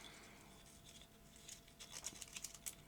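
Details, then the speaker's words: Maxell BetacamSP tape in a UVW-series player: faint, irregular crackling ticks as the loop moves. The leader tape has gone sticky and glues itself together, likely a binder manufacturing defect, so it won't feed out to the sensor. "this whole piece of leader tape has gone sticky and was gluing itself together so that didn't come out far enough to meet the sensor inside the machine because this loop was stuck by the stickiness"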